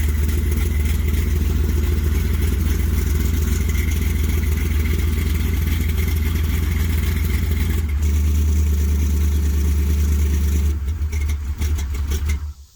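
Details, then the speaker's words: 1973 Plymouth Satellite big-block stroker V8, first start after rebuild: deep, lazy rumble that stays dull and flat without crispness, oil pressure good; ignition timing way off, retarded. "oh yeah time is way off slow yeah still oil that's a good start all right just the timing"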